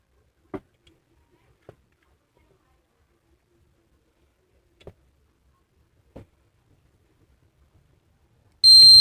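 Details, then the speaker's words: Induction cooker opened for repair, glass off, powered on to test the control panel: quiet clicks then one crisp high buzzer beep at switch-on, meaning control board and IC are fine; the fault lies in the IGBT. "तो इसका एक दो बार beep आएगी, तो इसका मतलब इसका जो कंट्रोल पैनल है वो बिल्कुल ठीक है।"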